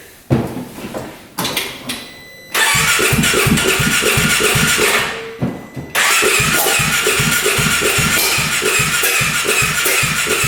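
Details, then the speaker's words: 2017 Polaris RZR 570 UTV, compression nearly 50 after spark plug reinstalled: coughs and pops cranking, then lumpy uneven beat about four a second with exhaust smoke; rough running, fuel delivery and valves to be checked. "You can see a smoking out of the exhaust down here. It's trying to start. It's trying to go."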